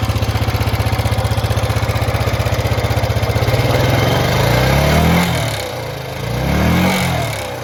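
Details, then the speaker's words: 2006 Honda Rubicon TRX500 ATV with a cracked throttle position sensor, suspected cause: single-cylinder thump settles into an idle, then revs hunt up and down unevenly, with slightly noisy valves; rough idle. "that crack there on the throttle position sensors so I believe that's probably the issue but I'll start it up for you you can hear it idle"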